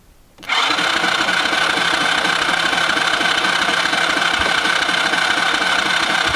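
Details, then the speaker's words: Kids' quad, sitting for years, cranking on the starter with a steady, even whirr but never firing. There is no spark to the plug. "no spark. Okay, we have to figure out this sparking issue."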